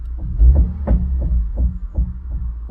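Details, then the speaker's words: Car at 72,000 miles, about 3,000 miles after sale: deep, rhythmic banging about three times a second when in drive and accelerating, also in second gear and neutral, quiet in first and reverse; gearbox suspected, not confirmed. "You can hear a banging sound. Blood de on the [Music] car when I'm accelerating."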